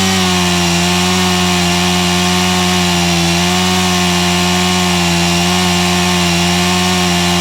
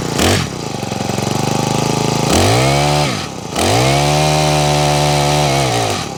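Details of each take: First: Honda HHH25 four-stroke hedge trimmer after carburettor tuning and a new fuel filter: the small engine holds a steady, even buzz at constant speed with no surging or bogging. Normal running. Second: Honda HHH25 four-stroke hedge trimmer brought in with a broken pull cord and bogging, first start after priming and choking: the engine catches, then surges and sags twice instead of holding steady. Uneven running, needs carburettor tuning.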